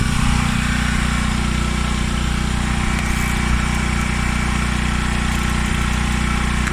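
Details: Washer after its broken motor coupling was replaced, running its diagnostic cycle: a steady, even motor hum with a smooth low drone and no grinding or knocking, operating normally.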